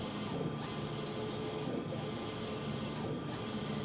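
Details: Cobraflex King Cobra commercial DTF printer printing during daily startup: steady mechanical hum with even carriage sweeps about every 1.4 seconds; healthy printing, and the white shows no streaks or pooling.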